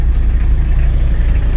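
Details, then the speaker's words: 1991 Toyota LiteAce 4x4 Limited diesel, right-hand drive, started right up after the glow plugs warmed. Deep, even diesel idle with a steady low rumble and no knocks or misses; it sounds good: normal diesel idle. "she sounds good beautiful"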